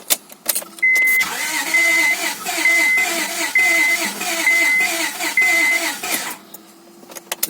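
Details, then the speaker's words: Honda Accord 2.3L (V6 mentioned), first start attempt after rear main seal replacement and engine reinstall: repeated cranking bursts with a chime, nearly starting but not catching; owner suspects a weak battery or insufficient fuel pressure. It later started. "kind of seems like the battery isn't strong enough or for some reason it's not built in sufficient for pressure"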